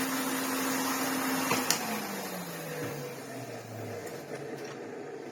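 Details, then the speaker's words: 1987 Hoover Sensotronic System 20 vacuum cleaner, original motor: steady hum dropping in pitch at lower speed with a rough grinding edge under the airflow; worn motor bearing grinding at low speed, fine at normal speed. "On a lower speed, obviously, you can hear the bearing grind away. But on a normal speed, it's lovely."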